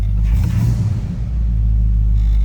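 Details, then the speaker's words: 1966 Ford F100 with 403 V8, just started easily, tach and oil pressure up; deep, steady low idle rumble with even throaty exhaust beat, no knocks or misses; healthy. "Nice sounding beep, little rumble out of that 403."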